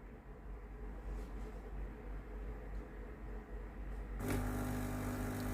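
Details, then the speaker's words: Philips GC9622/20 steam iron, customer reports no steam: at power-on a valve reset sound, then a steady buzzing hum as the pump runs while the electrovalve clicks but no steam comes out; water pump not delivering water, later replaced. "ได้ยินเสียงปั๊มทำงานแล้วนะครับเครื่องพร้อมใช้งานแล้วนะครับผมทำการกดเทสดูนะครับได้ยินเสียงอิเล็กโทรวาล์วทำงานนะครับแต่ไอ้น้ำไม่ออกนะครับ"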